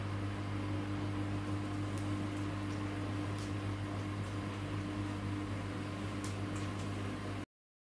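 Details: Samsung WW10N645RBW washing machine after adjusting the legs for stability: steady low hum and smooth even whir, no knocking, thumping or shaking; rated 73 dB spinning; clean, normal spin.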